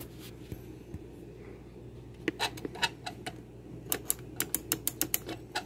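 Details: GE JVM3160RF3SS microwave, which had tripped the breaker on door opening, door interlock switch being pressed: crisp, sharp repeated clicks, so this switch works normally, unlike the middle switch that does not click.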